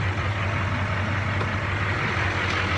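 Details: Caterpillar 3208 marine diesel on boat, after fuel pump installation, sea trial start: deep steady idle rumble, smooth and even, no knock or hunting over water and wind, zero smoke; healthy.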